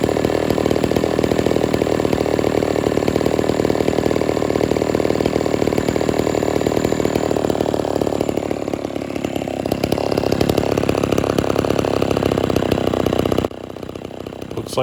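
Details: Homelite Super XL chainsaw, restarted without choke after 15–20 minutes off and tuned slightly rich: an even, slightly burbly two-stroke idle with no misfire; normal idle.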